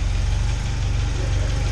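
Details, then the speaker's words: 1989 Volkswagen Cabriolet after fixing a major exhaust leak and replacing the cooked starter and wire: low, even idle with steady deep pulse, no hiss, puffing or ticking; exhaust sealed, normal idle, far quieter than before. "damn couldn't hear ourselves talk over the car last time"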